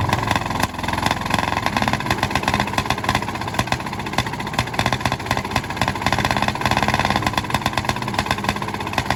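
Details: 1951 D8 2U dozer big diesel, sitting in a barn since 1990 and started via a pony motor that preheats its intake: loud, rapid, even firing, running steadily with no misses or knocks, sounding healthy.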